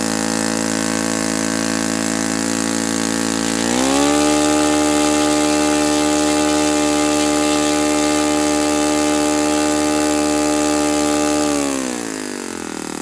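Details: Saito FA-91S model four-stroke glow engine on test stand, not run in years, cool 60°F day, with a replacement plug that looks dim: steady high buzz then drops to idle; peak RPM seems lower and idle slightly different, plug suspected.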